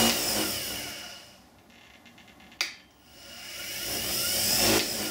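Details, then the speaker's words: Axminster Precision Pro Pen Lathe, 375 W motor (owner thinks brushed): winds down to quiet, click, then smooth whir climbing gradually to full speed (3,600 RPM max) without hesitation; normal soft start. "As you can hear there, it's a soft start, so it gradually accelerates. So that's not damaging the motor as much."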